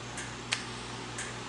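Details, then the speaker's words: Whirlpool electric dryer with mechanical timer that won't start: pressing the door switch gives a few sharp light clicks, suggesting the switch is probably okay before a multimeter check. "you hear the clicking noise it's probably okay"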